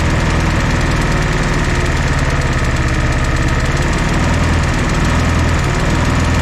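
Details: 1964 Jeep CJ5 barn find, previously seized engine, just revived: loud, steady four-cylinder idle with even firing, no misses or knocks over exhaust rumble after the fourth cylinder kicked in; smoky but smooth.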